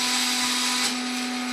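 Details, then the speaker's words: Converted Epson LQ2070 dot matrix printer, X-axis stepper at 2000 steps per second (highest tested rate): steady high-pitched buzzing hum, no vibration, knocking or rattle; stepper noisy and unhappy at maximum step rate. "now this motor seems to be unhappy at the highest speeds it's not vibrating or anything it's just making a noise"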